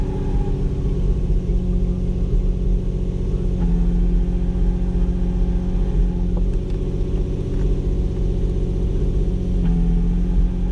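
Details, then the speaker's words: Nissan 350Z with South Bend stage 3 clutch and flywheel kit at cold start: steady low idle with fast uneven chatter underneath from the clutch rattling in neutral; aftermarket clutch rattle at idle. "that's the stage three clutch making that noise"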